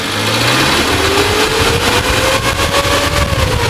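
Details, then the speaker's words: 2005 Suzuki Carry Futura, used: engine revved from idle to about 4000 rpm, pitch climbing evenly with no metallic knock or stumble; sounds healthy. "saya geber sampai 4000 Dia ee ceritanya masih enak gitu suaranya"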